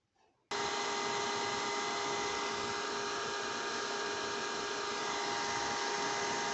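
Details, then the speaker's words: PC fan with dust buildup, running before cleaning: loud steady whirring hiss at a fixed high tone, continuous from the fan; dust-clogged cooling fan noise. "ये आप सुन सकते हैं कि PC में से कितनी loud sound आ रही है और ये कंटिन्यूसली साउंड इसके फ़ैन में से आ रही है।"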